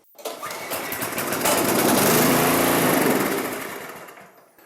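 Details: Abandoned Huskee rear-tine rototiller, before carburetor cleaning: spark plug shows a little carbon and the cylinder was primed. The small engine catches and runs for a couple of seconds, then fades and stalls, running only on the prime.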